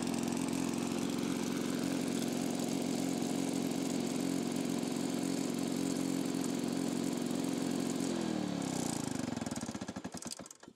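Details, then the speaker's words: Lawn-Boy two-stroke mower after crankcase holes and the exhaust muffler were repaired with putty: a harsh, raspy buzz at steady speed before it winds down. It is still very loud and runs poorly, and the mixture is hard to adjust. "ça fait du bruit quand même après tourne pas très très bien oh la vache ça fait du bruit"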